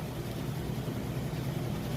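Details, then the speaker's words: Maytag oversized-capacity top-load washer with a heavy load on the regular cycle, final spin at full speed: even low steady rumble, no knocking or scraping; smooth, quiet, normal operation. "can see it's got nice smooth operation sounds great very quiet"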